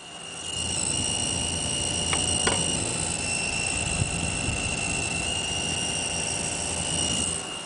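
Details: Zalman ZM-1000HP PC power supply with Vsync off, on game loading screens and menus: steady shrill high-pitched squeal changing with screen content, likely noisy capacitor or inductor coil whine; much reduced with Vsync on.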